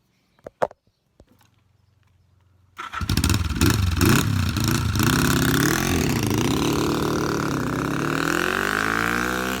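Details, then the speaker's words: Recommissioned low-mileage 1973/74 Yamaha XS500 twin, nearly 50 years old, after carb, fork and seized front brake work: a few clicks, then it fires into a steady, even beat that revs cleanly, sounding healthy. "i think you'll see for a 500 there's nearly 50 years old it absolutely flies and sounds fantastic so listen to"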